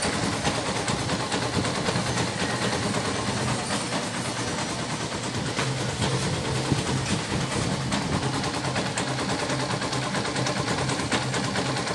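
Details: Yamaha SZ 150 after timing chain and tensioner replacement and removal of a broken compression release (weights stopped); steady even idle with busy mechanical patter but no hard knocking; normal idle.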